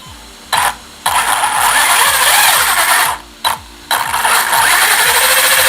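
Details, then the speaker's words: Newly built ZD Racing Thunder B10-E RC kit with Surpass Hobby 3650 motor and ESC, first power-on: two throttle bursts give a loud harsh high whine rising with motor speed over a rattly drivetrain; gear whine, builder suspects poor gear meshing, all parts new and not yet bedded in. "Sounds like I've not done a very good job with the meshing there. It should be fine, but remember, everything is new on this, so you do have to get the grease and whatnot to sort of bed itself in, but let's see what it's like when we're running it."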